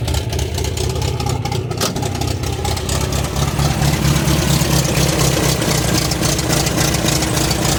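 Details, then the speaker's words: MGB, warm after a highway drive where it lost power above 3000 rpm: warm engine idling unevenly with a lumpy, stumbling beat and wavering speed, barely holding idle without choke; cause unknown. "all right i'm not happy i don't know why i need choke to keep this running listen to it it sounds like it sounds horrible"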